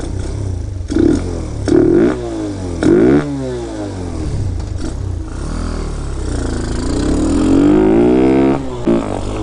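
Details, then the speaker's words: Hellcat Raptor 125cc (Grom clone) with 26mm Nibbi carb, 122 main jet: ragged popping near wide-open throttle, too rich; 120 main judged correct. "now it's definitely too rich too rich you can hear it when it's wide open it's doing that little popping"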